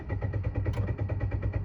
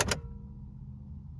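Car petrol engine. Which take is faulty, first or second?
first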